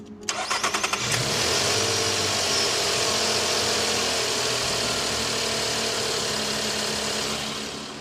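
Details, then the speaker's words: Nissan Pathfinder after misfire repair: misfire stayed on the cylinder after swapping the coils, spark tester showed no spark from the bad plug, spark plugs replaced; quick crank, catches and settles into a steady even idle with bright fan hiss; normal start and idle. "running great I guess Diagnostics done she's all fixed"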